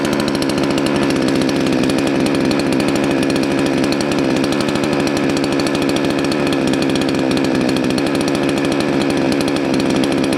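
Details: Salem Master chainsaw after adjustment set back about half a turn counterclockwise: steady high-pitched two-stroke buzz holding even speed, no hunting or sag; runs clean and healthy.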